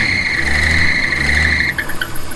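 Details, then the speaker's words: 1963 Ford Falcon Futura after a generator-to-GM one-wire alternator swap: the alternator fins hit the bracket corner, jamming it, giving a loud steady high-pitched belt squeal over idle that cuts off abruptly. Fix: bracket corner shaved down. "the fins on the alternator were hitting against my bracket just on the very corner and it was preventing it from spinning um sounds like that"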